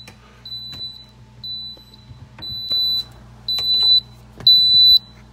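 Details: Kenmore Elite refrigerator door alarm that will not stop, located with a hose used as a stethoscope; shrill beep about once a second with handling clunks, fix is removing the speaker.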